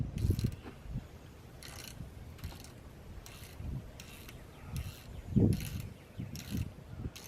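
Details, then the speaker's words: 2002 Chevy S-10 Xtreme belt tensioner pulley, removed and spun by hand: gritty, gravelly rasp in uneven bursts, bearing weak and nasty compared with the smooth, quiet new one; belt edges fraying, thought to be from it. Rough pulley bearing. "just sounds grav a leave and turn in the bolt as it's bearings moving look at how nasty that is in there sounds pretty pretty weak"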